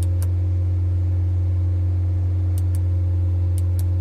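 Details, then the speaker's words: Honda Brio AC compressor: steady deep drone over the engine with light ticks at about 3000 rpm with AC on, silent with AC off and at normal idle; compressor is noisy between 2000–3000 rpm and will be replaced. "जब भी हम इसका race लगभग 2 से 2 से 3000 बीच में जाते हैं तभी कंप्रेसर आवाज़ करने लग रहा है"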